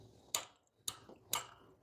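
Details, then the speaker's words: Bobcat zero-turn mower no-start, after installing a new ignition switch; four sharp clicks about every half second as the carburetor anti-backfire fuel shutoff solenoid switches on and off, but no cranking; a wrong switch and bad replacement starter solenoid were later found. "Uh-oh. We still ain't got nothing. But I did hear the carburetor solenoid come on."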